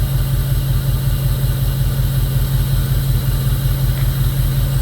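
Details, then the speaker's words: 2002 Jeep Grand Cherokee 4.7 HO V8 with history of melting coils, at idle: steady lumpy thump just under three a second; misfire persists even with coil one plugged back in; engine misfire, cause under investigation. "We can unplug coil one and the it clearly has a miss. And we plug it back in. And it still clearly has a miss. Now it's doing it on this coil as well."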